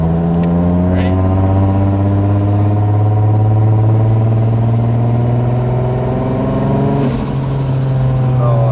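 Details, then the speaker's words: Toyota 1JZ single-turbo conversion, first test drive, untuned with no timing yet, left-foot braking to spool: deep, steady engine drone under load with a clean whistle climbing as boost builds; the turbo spools normally. "Oh, a lot of good turbo noises now. Very good. God damn. Now I'll just do a little like left foot brakey so you guys can hear the spools."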